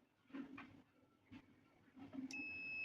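A few soft knocks, then a sharp click and a steady high beep as the fridge compressor cuts back in.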